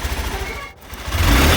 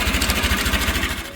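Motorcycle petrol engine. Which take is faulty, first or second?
second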